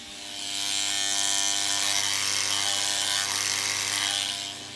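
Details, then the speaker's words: Antenna rotator over 10 years old with badly corroded bolts, powered up. A thin, strained motor whine is heard trying to turn either way, but the rotator never rotates and is stalled. "But I've just noticed, I've just powered this thing up, and I've just noticed the rotator seems to have a problem, so we're going to have a look at that."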